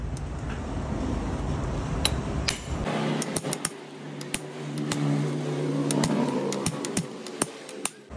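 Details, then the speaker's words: Honda Scoopy steering head (komstir) bearing race being driven in with a hammer via a ground-down old race as a drift over greased seat: steady taps turn sharper, ringing metal-on-metal once the race sits fully seated, louder than before seating. "nah Perhatikan ya bunyinya ya Ini udah mepet ke atas atau pas dudukannya jadi bunyinya itu beda kayak ada benturan besi sama besi tang tang seperti itu bunyinya seperti itu lebih nyaring daripada saat belum pas diudukannya"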